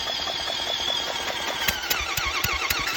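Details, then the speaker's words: 1980s Yamaha 225DX Tri-Moto three-wheeler, engine freed with PB Blaster after sitting: starter whirs then even thumps about four a second as each compression stroke pushes through; healthy cranking with good compression, compression release working. "Oh yeah. Oh, she's got compression now, huh?"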